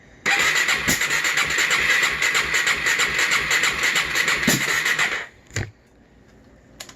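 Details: 2007 Gas Gas EC 450 FSR fuel-injected four-stroke, low miles, sat most of its life, new injector and TPS, good spark, throttle held wide open for flooding: starter spins about three beats a second with no firing; no start, owner suspects intake valve issue.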